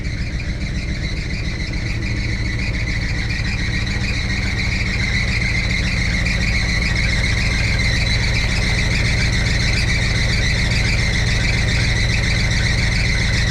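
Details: 1962 Chevrolet C10 V8 idling warm near 180°, oil pressure 50; constant high squeal over steady idle from loose alternator belt slipping; belts later replaced. Belt squeal.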